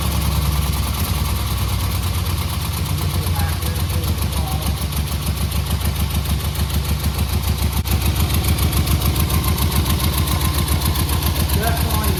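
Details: 1963 Austin-Healey Sprite, carbs repeatedly retuned by the owner, head gasket recently replaced with the head not fully torqued: uneven, lumpy idle with a lopsided low beat from a dead cylinder, a valve held open by tight adjustment.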